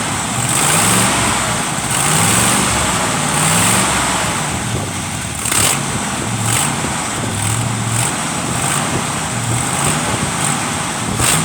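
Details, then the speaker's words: 1971 Chevrolet C20 pickup with newly swapped 454 big-block: uneven loping idle hunting up and down; vacuum leak at base of carburetor. "That thing, not idling worth a poop. It's got a vacuum leak at the base of the carburetor."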